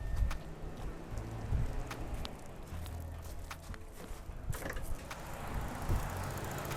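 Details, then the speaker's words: 1995 Subaru GC8 with green test-mode connectors joined and ignition on in diagnostics mode: low fan hum switching on and off with scattered clicks as both radiator cooling fans cycle normally. "you can hear kind of clicking and whatnot, but everything is basically working at this point. And if you see, both fans are spinning right now, on and off."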